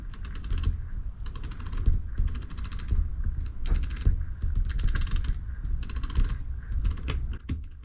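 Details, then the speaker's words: Bafang M620 e-bike mid-drive motor, motor pawl clutch/freewheel replaced after it stopped engaging the pedal cranks: turned by hand, crisp rapid clicking bursts as pawls catch cleanly; clutch now engaging properly. "Give it a twist so it engages. Now you can hear them engaging."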